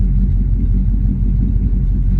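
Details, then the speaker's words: Old petrol engine running off a gas tank with newly hooked-up fuel lines, with oil pressure steady. A deep, steady, even rumble with no knocks or misses; sounds normal. "Pretty good, oil pressure steady,"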